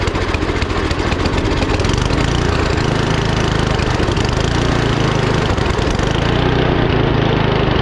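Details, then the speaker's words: 39-year-old Gilson snowblower with a Tecumseh engine, after fixing a no-start caused by gas left in the tank: fires right up and runs steady and even, with no hesitation or surging. "and that's how your snowblower should start any snowblower whether it's a Tumi engine on it the bridgs and Stratton one or two pools it should fire right up"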